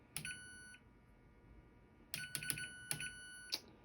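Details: Whirlpool Duet dryer, just plugged back in after replacing rollers, pulley, belt and related parts from a repair kit: a single chime, then a quick run of four beeps as the control board powers up normally.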